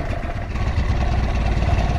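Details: Three-wheel motorbike with ignition fault, started with battery wired straight to the CDI bypassing the key: low even single-cylinder putter settling into a steady idle with no misses or knocks; runs cleanly.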